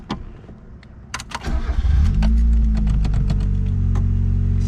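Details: 1988 Mazda 323 GTX (B6T engine, BF chassis), a backyard find, started after getting it mechanically running, with a replaced fuel sender: a brief crank, then it catches eagerly and settles into a steady, even idle with no misses or knocks.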